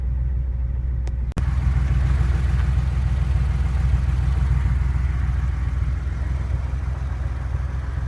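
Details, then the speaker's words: Porsche engine, warmed up after about half an hour of driving: steady rumble with a faint light tap about three times a second; cause not identified. "warmed up, and I've been driving for about a half hour. Kind of hear it. Tapping sound."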